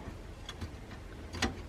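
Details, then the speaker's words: During first power-up of a newly built desktop PC, a case fan makes sharp irregular ticks and faint scrapes over a quiet hum; the blade is hitting something, possibly damaged during cleaning or something stuck behind it. "yeah it's definitely it's definitely hitting something and we got to be farther away from it"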